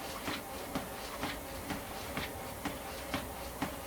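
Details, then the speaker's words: Confidence Fitness treadmill that stops and starts in use, tested at about 3 km/h after tightening the motor mountings: motor hum with a regular thump about twice a second under load. Same problem remains; belt slipping under load. "okay still experiencing the same problems that did not solve it"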